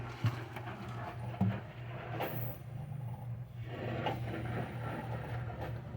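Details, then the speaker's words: Mid-1940s Frigidaire Cold Wall Imperial refrigerator, first start after 40-plus years stored under a canvas tent, vintage compressor at 1725 rpm: even low motor hum with soft irregular gurgles of R-12 refrigerant through the pipes; compressor running normally. "I hear refrigerant 12 gurgling through the pipes. That is a good sign."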